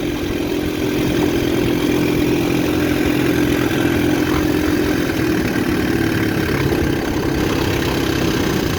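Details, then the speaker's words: 1960 Scott-McCulloch 12hp outboard with a 14.1hp McCulloch powerhead, 24:1 mix, restarted and idling in reverse (reverse latch hardware missing): smooth, steady two-stroke burble, no misses or stumbles; decent normal idle once adjusted. "Pretty decent idle on this once it's adjusted and happy."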